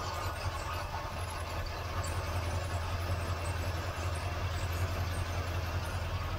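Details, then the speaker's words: 1977 Malibu Classic V8 idling with a deep, slightly uneven rumble and fast puffing tick from an exhaust leak underneath; running rough, owner suspects a vacuum leak or dead plug, with rat-chewed plug wires. "Okay, guys, you hear the exhaust leak down here?"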